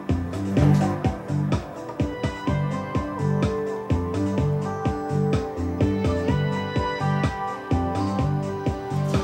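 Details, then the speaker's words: Harman Kardon HK505 integrated amplifier after resoldering the drivers and pre-drivers on the faulty board. Music plays clean and steady on both channels with no crackle or cutting out; the channel dropout and crackle are fixed. "there we go there it's fixed no more cutting"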